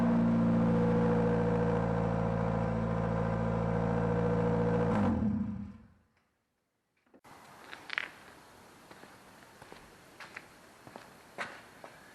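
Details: Nissan N13 Sunny/Pulsar at its first start with a new shotgun exhaust, only a small welded-in silencer and no other silencer: very loud, raw, blaring note for five seconds. Needs another silencer.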